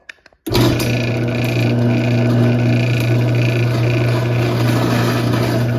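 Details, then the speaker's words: AccessMaster M885 garage door opener made September 2015, running: steady motor hum with faint rough grinding from drive gears that haven't been greased. "Yeah, you can hear the gears are grinding a bit on this one. I would have greased them except I don't have any more grease."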